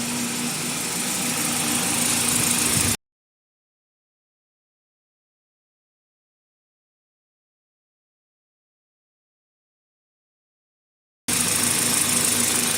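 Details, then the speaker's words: 2000 Toyota Celica GTS, 2ZZ engine, warm at 90°C, after IAC valve cleaning (previously idled at 1800 rpm). Steady, smooth idle with no hunting or surging. Normal idle. "you can see here that is is idling properly now it's at it's been running the whole time as that operating temperature and uh that's a pretty good Idol"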